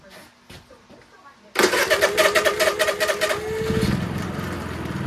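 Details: Honda EU3000is inverter generator with a Nashfuel propane/LP conversion kit installed: it catches after a few uneven pulses and settles into a steady, even drone; it starts and runs healthy on propane.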